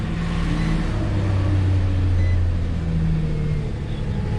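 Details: 2006 Nissan Frontier 4.0 V6 manual, after fixing no crank/no start/no communication from a blown main fuse at the battery positive terminal, started on jump box: steady low hum, even beat, no misses or knocks, smooth idle, alternator charging 14.2 V.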